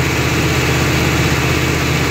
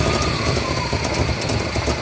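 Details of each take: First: 1993 GMC C1500 5.7 V8 with O2 sensor unplugged (open loop) after surging and rough idle; even, steady idle with regular beat, no hunting or surging; surge gone. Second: 1993 GMC C1500 5.7 V8 before fix; deep uneven idle loping and dipping, trying to die, surging off idle, cutting out when driving; O2 sensor stuck rich, fuel trim pulling fuel causing chugging.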